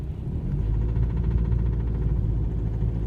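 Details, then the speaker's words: BMW 320d E90 N47 diesel, morning cold start, driving in second gear: deep cabin engine rumble with a fast, regular tapping knock that stops on lifting off the throttle and disappears after about 500 m, any temperature. "все и все это звук пропадает после того как я проехал метров 500 все в течение дня он не проявляется его никогда до конца дня нету только утром при любой температуре"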